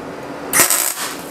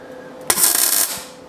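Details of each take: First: MIG tack weld on 1939 Hudson Terraplane rat rod cab, shielding gas left off: short harsh spitting crackle popping erratically instead of steady sizzle; welding without gas. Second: Retried MIG tack weld on 1939 Hudson Terraplane rat rod cab after turning the shielding gas on: short crisp, even sizzle without popping or sputter; normal clean tack.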